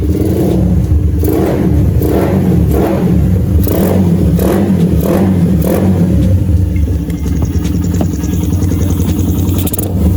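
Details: Motorcycle with a newly fitted and adjusted PWK carburetor. Sharp throttle blips about once a second, each rising cleanly and dropping straight back to a steady idle. Normal revving; engine healthy.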